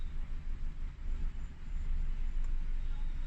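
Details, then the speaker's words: Four-cylinder car cylinder drop test with an Autel MP808TS active scan tool: low uneven idle rumble with one cylinder cut, same roughness as the others. That cylinder fires normally; no cylinder problems. "Cylinder 3 dropped, same thing. Cylinder 4 dropped, same thing. So again, this car doesn't have any problems with the cylinders."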